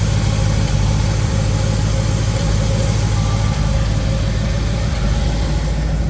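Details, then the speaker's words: Small-block Chevy after installing 1.6 ratio roller rockers, first start; deep, steady low rumble with even beat, no ticking or clatter from the top end; smooth, healthy idle. "not noisy Everything feels okay thing looks pretty good"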